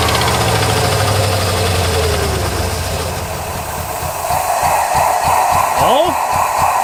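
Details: Abandoned 1993 Ford F150 after sitting 14 years, revs brought up: uneven, lumpy idle that steadies as revs rise, missing on some cylinders; the owner says it definitely has some dead injectors.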